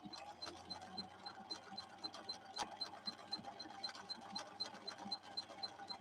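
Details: Husqvarna Viking 6460 sewing machine after repairs, sewing a straight run at the maximum its slow gear allows, with the motor held back through the gears; light, even ticking twice a second over a soft hum, running healthy.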